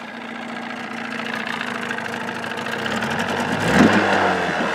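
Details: 1979 Evinrude 35hp two-stroke outboard idling under its hood with sound-deadening insulation, about 80–83 dB beside the motor and 76 dB two feet back: a muffled, even burble that picks up slightly near the end, with no rattles or misses; idling smoothly.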